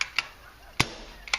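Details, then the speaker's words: CCM pump paintball marker firing: soft hollow poofs instead of a crisp pop, chuffing and wasting air down the barrel; likely balance problem, possibly something in the valve. "so if you've got a a chuffy gun or you've got a gun that's leaking down the barrel every time you pull the trigger you've got a problem with balance most likely"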